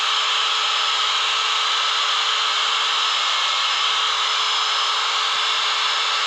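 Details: Angle grinder after repair of the brush holder, which had caused large sparking and a growling sound: the brush was trimmed and refitted. It now gives a smooth, steady high-pitched whir with no sparks, crackle or growl and runs normally.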